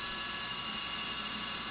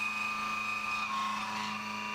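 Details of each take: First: CNC roughing an AR15 gasblock, spindle at 1900 rpm via override (down from 2125): steady high-pitched ringing over constant hiss, end mill still a bit chattery; 2125 rpm would be worse. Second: CNC roughing an AR15 gasblock, variable width of cut up to about 1/8 inch, spindle lowered from 1900 to 1700 rpm: steady even cutting tone with odd brief chirps; chatter largely gone, much better overall.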